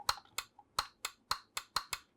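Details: Lego LG11003 stereo CD boombox from 2009, after the CD door was refitted with a replacement switch: sharp, clean clicks with quiet gaps as the lid closes, showing the door switch is actuating crisply and working normally.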